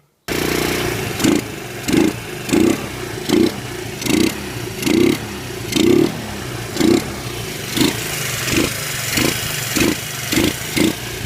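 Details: Yamaha Breeze single-cylinder after top-end rebuild for compression (head reinstalled, good compression): engine catches and takes about thirteen quick throttle blips in ten seconds, each revving and dropping back cleanly; healthy running.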